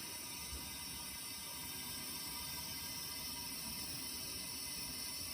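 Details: 1994 Suzuki GSX-R 750 leak-down test with the cylinder on its exhaust stroke: steady airy hiss with no rhythm and nothing mechanical under it as test air escapes from the exhaust through an open exhaust valve.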